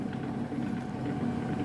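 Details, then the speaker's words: HQ800 milling machine after replacing worn crunchy spindle motor with a 200 W more powerful one; steady even hum with soft airy whir, no rattle, quiet versus previous racket; healthy. "I've got you here by the controls, and as you can hear, it's quiet. If you've seen my previous videos, you would know that this machine made quite a racket when it was running, and now it's quiet."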